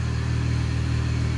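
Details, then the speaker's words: Copart-bought 300, just rebuilt and running. Loud, raw low rumble with rapid even pulsing at idle, rougher than a sealed system. It is an exhaust leak because the exhaust is unbolted underneath. "That noise I just heard is because that exhaust is like, let me see if I can show y'all. It's like unbolted down there."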